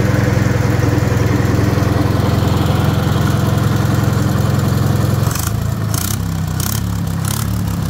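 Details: Rebuilt Wisconsin THD air-cooled engine on a bench, babbitt and shell-bearing rods reused, factory aluminum head swapped for a flush cast iron head; steady low even thump at constant speed, no knocking or rattle, smooth and quieter: normal running.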